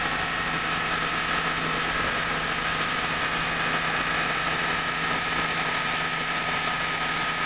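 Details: Mitsubishi Grandis test-started after repairing a cracked torque converter (turbine) part that leaked automatic transmission fluid: steady, even idle with a faint constant whine and no knocks, misses or clunks. Normal idle.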